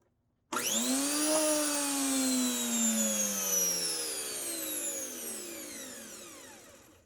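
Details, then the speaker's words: 1997 Rainbow D4C SE vacuum motor pre-tested outside the shell after replacing a failed ticking bearing: a clean whine climbs at switch-on, then coasts down smoothly with no ticking or grinding. Normal running. "All right, no more ticking, so that's good."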